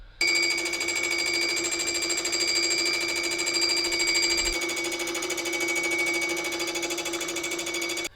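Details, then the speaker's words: Milling cutter skimming an engine block/cylinder head, with sponge packed into the cutter disc's holes to damp vibration: even, steady ringing tone with no rattle or shudder, leaving a brilliant finish. "just adding this little bit of sponge into each one of these holes is pretty much sucked up all the vibration that this thing's creating and as a result it's left an absolutely brilliant finish on this uh on this cylinder head"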